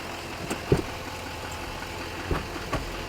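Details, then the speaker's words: Chevy Duramax diesel at a dealer auction, with no smoke at startup: low, steady idle with only a few scattered ticks and no knock. It sounds smooth and healthy. "Roman, No, it purrs like a kitten."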